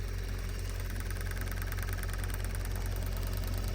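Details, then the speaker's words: Case Patriot 3330 sprayer on AIM Command, 120 ft boom with 72 nozzles: faint even clicking about three times a second over engine drone as nozzle solenoids (9 V, about 0.40 A draw) pulse normally. "Like they're pulsing non-stop. You can hear them clicking."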